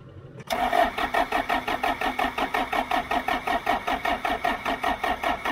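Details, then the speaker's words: Abandoned John Deere 310 diesel backhoe cranked using Liquid Wrench sprayed as starting fluid: steady starter cranking at about four compression beats a second, never firing. Cranks but won't start; cause not confirmed. "That's liquid wrench, though. That ain't doing nothing. That didn't work too good."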